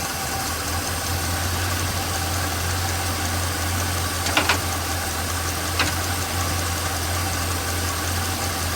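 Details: Chevrolet small-block 350 V8 after valve adjustment, rocker tightened until the clatter stopped then turned three quarters of a turn to factory spec: steady, even low idle with no top-end ticking, only a couple of faint clicks; normal idle.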